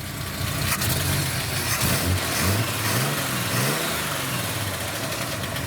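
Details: 1971 Chevy C10 250 inline six with HEI ignition, Clifford intake and 6-into-2 exhaust, after idle screw turned up a quarter turn; smooth steady idle with slight lift in revs, even firing, no knocks or misses; normal idle.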